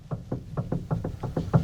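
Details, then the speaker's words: 1994 Honda Civic EG with manual steering, after a steering rack adjustment, wheel turned with the car on the ground: faint dull clunks, four to five a second, seemingly from the dash. Owner suspects the steering U-joint; not confirmed. "I'm thinking maybe is my steering U joint you guys can let me know in the comments below but you hear that clunk it kind of sounds like it's in the dash where my steering U joint is it's very faint"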